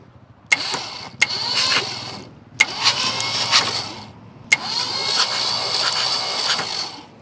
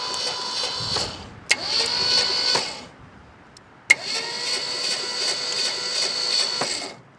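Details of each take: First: 1967 Ford F250 Camper Special truck, sitting 39 years, cranking in several starter bursts with an even rhythm; compression sounds good on all cylinders, no dead cylinder; normal cranking compression. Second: 1967 Ford F250 Camper Special big-block FE truck, sitting about 39 years, cranked via solenoid trigger after tightening loose battery ground: high whirring starter cranking with light ticking, spark present but engine turns over without catching.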